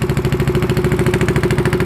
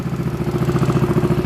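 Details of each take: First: Yamaha Zuma fitted with a 158cc big bore kit, first start after the rebuild. A slow putt-putt idle sags and dies after about six seconds; the idle is too low and throttle must be held, and the owner wonders if it needs to warm up. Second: Yamaha Zuma 158cc big bore kit scooter at first test start after rebuild (piston rings, timing chain, valve lash), left to idle before break-in; quick steady even putt-putt, about twelve pulses a second, clean; running fine, success.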